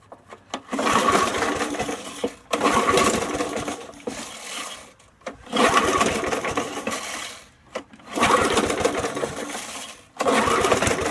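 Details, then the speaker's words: Free curbside Snapper mower, long unused, intake cleaned: catches and runs rough a couple of seconds then dies, repeatedly; suspected shot carburetor diaphragm. "let's try one more time hear that diaphragm might be shot in the carburetor but we'll see it'll come back maybe"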